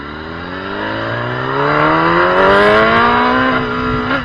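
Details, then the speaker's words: Gen 1 Kawasaki ZX10R on a road ride after a first fix attempt that failed: revs climb cleanly under throttle, then stumble and dip near the top. Mid-range power cut happens in first and second gear. Intermittent power cut under throttle. "I thought it was only happening in first gear until towards the end there, and you probably noticed that its second gear did it as well. So it's got no issue with what gear you're in."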